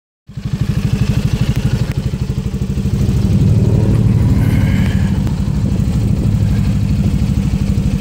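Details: Piaggio MP3 500 scooter: it starts and settles into a lumpy, irregular idle of about three beats a second. It also cuts out at 6000 rpm; the owner suspected bad fuel, replaced it, and is burning off the old fuel in the lines. Cause unconfirmed.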